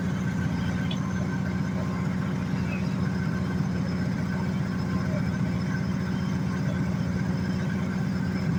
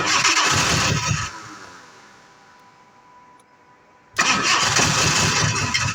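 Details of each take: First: 1986 Jaguar XJ6 after sitting two years, running after fuel pump replacement and repairs: low even idle rumble with steady beat, no knocking or missing; normal idle. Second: 1986 Jaguar XJ6 that sat unstarted for two years. About a second of cranking dies away, a few quiet seconds pass, then the engine fires abruptly into a loud, rough run: a hard start.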